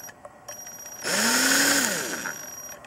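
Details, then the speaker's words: Ryobi CDC1802 18V ONE+ drill-driver, NiCd battery, three years in use: motor spins up with a high thin squeal over its hum at part trigger, the normal speed-controller whine. "слышно Как пищит частотный преобразователь"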